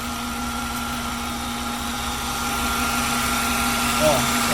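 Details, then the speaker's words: 2005 Honda Fit after tightening the accessory (alternator) belt tensioner bolt, belt worn, pulley bearing may need replacing: even smooth idle with light steady hum, no squeal or chirp; belt noise gone. "Vamos testar agora. Vou ligar. Ó, pessoal, parou de fazer o barulho."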